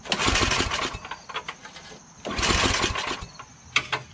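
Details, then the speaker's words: Yard Machines 8HP Tecumseh snowblower that surges, hunts and won't prime: two bursts of pull-starter cranking with coughing chuffs that die away. No fuel reaches the carburetor; it starts with spray, so a clogged primer hose or gunky carburetor is suspected. "so it does not start how about that that's interesting"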